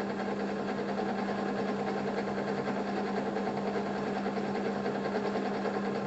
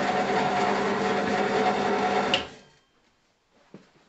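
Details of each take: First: Draper pillar drill at slow belt speed after insulating the pulley cover, noise cut about 7 dB from 70 to 63–64 dB. Steady even motor hum with soft belt whirr, no knocks or rattles; runs smoothly and fairly quietly. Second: Draper pillar drill running unloaded, on lowest pulley speed: loud buzzing hum with tinny rattle from the pulley casing, then winds down; noisy before insulating the pulley case with bitumen roofing tape.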